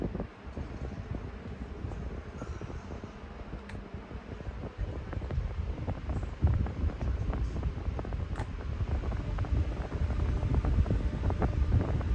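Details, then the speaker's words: New fan running on low speed: steady airy whoosh with a soft low rumble, no ticks or scraping; normal blade noise, with some apparent air restriction on low only. "So I think that's just how the aerodynamics sound, or that's just how the blades sound when it's on low. I don't think it's an actual problem with blade dynamics or air dynamics."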